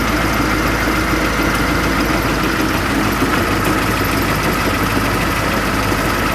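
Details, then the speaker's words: Transit Liner bus diesel idling: dense gritty metallic grind over the steady run from the fan hub; belt touching, fan drive bevel gear mitre box suspected toast. "Hear that fan hub though? That belt has actually been touching my mouth. That gearbox for the fan? I'm not gonna like my answer, but I think that's the mitre box."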